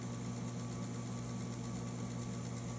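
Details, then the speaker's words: Typewriter running after replacing the worn motor belt, which had vibrated and run unevenly: low, steady motor hum and soft whir with no flapping or thumping; normal, much quieter running. "so it's a lot quieter now as you can hear"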